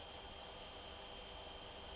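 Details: Bambu Lab AMS 2 Pro filament dryer: steady airy hiss and low hum with no knocks or rattles; running normally.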